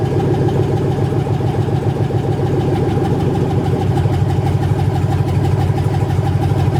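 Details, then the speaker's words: 1980 Chevy C20 with a swapped 4.8L LS V8, first fire-up after the swap: loud, raw, deep, even idle that settles and runs cleanly. Owner primed the fuel system three times and couldn't hear the fuel pump running. "well guys that felt pretty good it fired up just like it was supposed to I found the fuel system three times and I couldn't even hear the fuel pump running"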